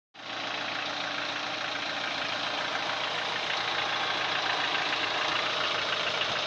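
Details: Daewoo Lanos 1.6 at idle with a fast, fairly regular light knock about four per second; cause unknown.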